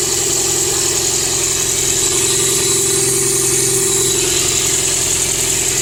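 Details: 2004 Toyota Prius engine misfiring and shaking at idle, uneven lumpy beat with steady hiss; caused by clogged, dirty fuel injectors spraying few streams and dripping, fixed by fitting four used ultrasonically cleaned replacement injectors.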